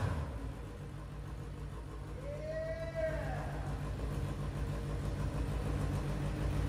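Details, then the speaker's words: Suzuki GSX-R 1000 engine in a dirt track dwarf car after replacing rich, fouled spark plugs and cleaning injectors, before exhaust swap: clean, even four-cylinder burble with raspy edge, no misses; running as it should. "that's right now we got that's that clean Chris rail of a Gixxer engine you heard it that's the way it's supposed to sound"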